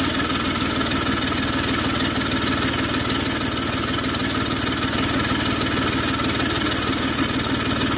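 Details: 2004 BMW X3 3.0L M54, recorded from the hood: fast light ticking over steady idle, keeping pace with the engine, an exhaust leak.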